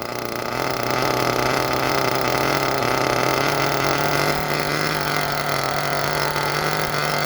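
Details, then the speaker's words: Small nitro engine during a Todd Method break-in: idling low and burbly, running very rich and sputtery. Temperature is dropping from about 131 to 118, and the idle keeps falling and needs raising. "You hear it running super duper rich."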